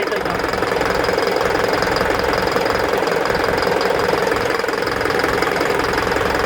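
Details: Isuzu NPR diesel at idle, check engine light with DTC P0202 cylinder 2 injector circuit from a loose connection; rough idle with a steady sharp knock nearly three times a second: injector misfire knock.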